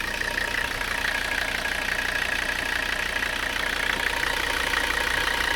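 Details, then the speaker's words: Mercedes 300CD diesel after driveline work, not burning oil, idling with an uneven, lumpy, loping beat and more vibration than usual, as if one cylinder is weak; owner hopes it is a fuel restriction or clogged injector, unconfirmed; rough idle. "however she was loping a little bit there um when I shut her off so uh might be something going on with one of the cylinders it's a little bit worrying I don't know if you can hear that but kind of sounds like there's a cylinder that's not so happy"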